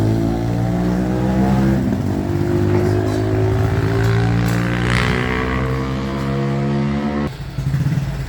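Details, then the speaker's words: 2014 Honda Wave110i, hard to start, dies off throttle and won't rev; spark plug and injector already checked, fuel pump next: small uneven revs swelling and sagging, hesitating and nearly stalling. "นี่สตาร์ทยากนะครับสตาร์ทยากสตาร์ทยากนะครับผ่อนและดับบิดไม่ขึ้นนะครับวูบๆนะครับ"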